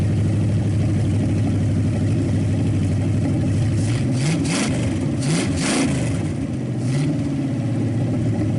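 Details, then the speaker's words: Packard 374 cu in V8, warmed up after oil burned off the hot exhaust manifold: even, deep idle picking up cleanly on quick blips and dropping straight back; shuts off really fast, suggesting little cylinder wear and good compression. "And I really, you know, I like the sound of it. It revs quick and sounds strong as can be. And when you shut it off, it shuts off really fast."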